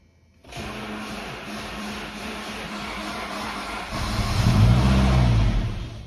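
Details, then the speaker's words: SAAB 900 Turbo petrol, first start after a gearbox oil change with thicker oil: engine catches and settles into a fast even diesel-like ticking clatter, roughly four per second, at idle; no oil leaks or blue smoke; cause not identified. "aber anscheinend habe ich jetzt zwei Diesel so wie das Ding am klackern ist"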